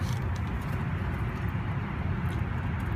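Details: 2004 Chevy Silverado 5.3L, passenger-side front wheel spun by hand on a jack: steady, low, even whir with no grinding, clicking or roughness; normal wheel bearing. The truck whines on the highway, and hub assemblies were being replaced.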